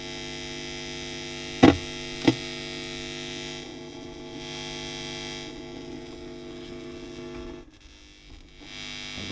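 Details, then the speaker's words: WEM Musette Mk 2 valve amp (a Dominator Mk 3 with a different speaker), first powered up on the bench before servicing: constant low buzzing hum with steady tones and clicks; very noisy channel, cause not yet found. "very noisy Channel"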